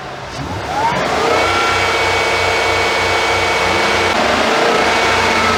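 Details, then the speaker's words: 2013 Ford F-150, A/C on, throttle blipped: engine revs and a whooshing roar swells and holds as the high-speed cooling fan kicks in, with humming from the A/C compressor; complaint is high-speed fan coming on with A/C. "all right now that fan just kicked on at high speed uh once i stepped on the gas i don't know if you guys heard that wool that humming that roaring sound"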